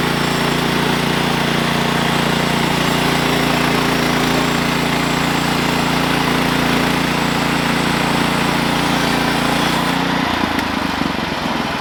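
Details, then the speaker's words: Sawmill engine drones steadily under cutting load, then the note shifts abruptly near the end as drive to the blade drops away. The cause was a worn-out, slipping clutch and a worn drive belt. "all right so this is what i found out about my belt slipping is i believe my clutch is starting to be get weak"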